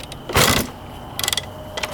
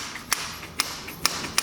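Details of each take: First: 1991 Honda CR250 two-stroke dirt bike, fuel on, choke on, kick start: two kicks churn the engine with a ratcheting clatter but no pop, catch or backfire; cranks but no start, flooding or no spark suspected. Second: 1991 Honda CR250 two-stroke, engine off, after reinstalling the carb: five crisp sharp clicks as the throttle slide snaps shut cleanly. Owner suspects the slide had been stuck up; it now closes normally.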